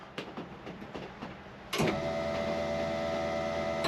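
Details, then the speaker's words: Honda Civic EG with electrical problems, fuel pump rewired to run through a relay: ignition on gives a steady electric hum for about two seconds then a clean cutoff; normal fuel pump prime, fix succeeded. "Right, so the fuel pump should now come on and go off."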